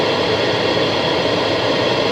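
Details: 2012 Chevy Impala HVAC after replacing the blend door actuator behind the passenger glove box, which had been clicking: steady, even rush of air from the vents with AC on, no clicking or thumping; vent door now opens properly.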